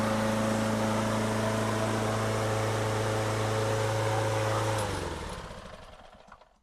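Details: Lawn-Boy self-propelled mower: a steady, even single-cylinder drone holds constant pitch with no stumbling, then winds down smoothly to a stop; engine runs properly.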